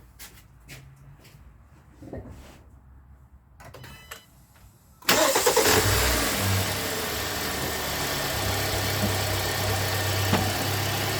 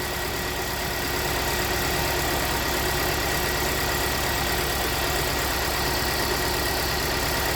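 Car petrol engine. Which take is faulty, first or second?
second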